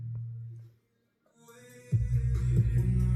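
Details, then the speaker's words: Samsung HT-TX725 home theater after repair of six dried-out input capacitors that had caused low output: music plays with full, clean bass and no crackle or dropouts; amplifier and subwoofer now working fine. "it's working fine now. So this is my subwoofer. Subwoofer is playing fine."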